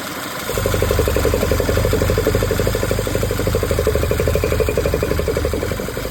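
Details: Audi A5 petrol engine idles with an uneven, stumbling pulse. Misfire caused by a leaking crankcase breather; fix is replacing the engine breather.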